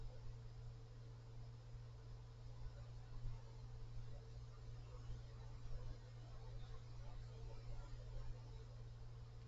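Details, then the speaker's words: Cooler Master Mobius OC 120 fan at maximum speed, fan blowing into microphone: quiet steady hum with a thin mid-pitched harmonic resonance tone plus another unidentified noise; around seven harmonic resonances noted. "oh there's a Harmon residence there's also another noise and I I'm not sure how to describe it or what's causing it another harmonic resonance"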